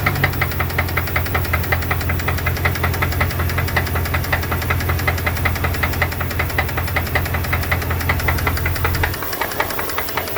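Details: 2002 Dodge Dakota 4.7 L at idle: fast steady knocking that tracks engine speed; lifter noise or piston slap suspected, source not confirmed.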